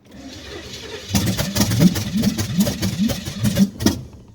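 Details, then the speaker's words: Camaro V8 with open headers and new fuel pump, running on salvage-yard spark plugs: catches and fires in ragged, uneven bursts then dies; rough misfiring start, owner suspects plug wires and ignition timing need attention. "hmm i think i need a set of plug wires and to tweak my ignition there ignition timing just a little bit"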